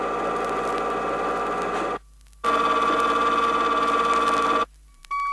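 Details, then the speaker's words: 1970 Chrysler rear axle demonstration, pinion moved out 2/1000 inch at a time: steady high gear whine in two runs growing harsher and louder; improper pinion depth setting causing axle noise, not identical to in-car sound. "It should be stressed that these gear sounds are not exactly the same as the sounds that would be heard inside a car. They merely demonstrate how improper pinion depth setting will create axle noise."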